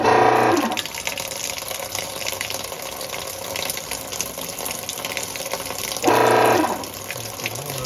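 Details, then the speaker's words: Kenmore Series 500 top-load washer in initial sensing cycle: two brief humming grinds over fill water, drum not turning, because motor drive pulley's internal splines stripped and it free-spun on the shaft; fixed with replacement pulley. "turned out our culprit was this pulley here it has sits on a spline shaft in here and this was free spinning so all those spines on the inside had ripped out"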